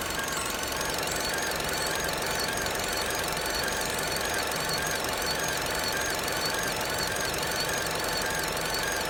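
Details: 2011 Vauxhall Corsa SXi petrol engine running: a steady high whine of fairly constant pitch rides over the engine. Engine whine, cause unknown and asked about by the owner.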